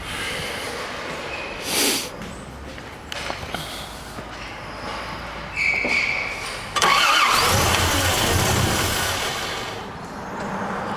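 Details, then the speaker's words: 1988 Toyota Land Cruiser Troop Carrier, parked five years with new distributor and carburettor: cranks with spark, barks briefly only on sprayed brake cleaner and dies; no fuel reaching the carburettor. "yeah she barked so now we need to get to make sure we get some fuel coming to it"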